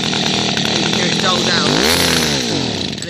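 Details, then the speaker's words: Second-hand two-stroke hedge cutter; after turning a carburettor fuel-air mixture screw, engine note sags and surges unevenly then dies; it cuts out because the mixture ratio is now set wrong. "it cuts out because i've changed the ratios to one that it doesn't work"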